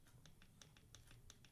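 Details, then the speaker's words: RC car pinion-to-spur gear mesh on an RB modified Pico 28.7, rocked back and forth: light crisp ticks about six per second, the small backlash tick that indicates a properly set mesh. "they call it the tick you want to have that tick just like Roger told you man in his video hear that"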